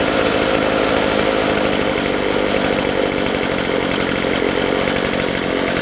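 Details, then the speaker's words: McCulloch 250C XL X-series two-stroke strimmer after the carburettor low and high mixture screws were turned out for more petrol. It screams at steady full throttle without surging or cutting out, a lot better than before. "That's better. Go full throttle now and it won't stop. Well, that's a lot better than it was."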